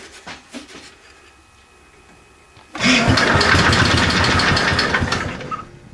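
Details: 725 small engine, freshly refueled, driving under its own power with a little throttle after sitting a long time. After a quiet stretch it catches and runs steady under load with an even chug. The owner thinks everything is pretty much okay.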